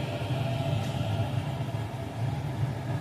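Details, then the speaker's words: Remi Gerber Micro III centrifuge at its fixed maximum 1310 rpm, timer just enabled: smooth low hum with faint steady whine, no wobble, scraping or knocking; normal running. "So இப்போ 1310 reach ஆன உடனே timer enable ஆகிடுச்சு."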